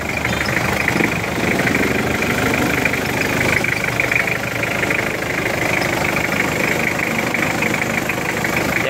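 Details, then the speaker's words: Mitsubishi Pajero 4M40 diesel idling steadily with an even fine mechanical clatter, no loud knock, after the timing chain tensioner was adjusted and reset; judged within normal sound. "So as sa tingin ko iyung ganyang klase na ng tunog na within normal sound na mga bossing."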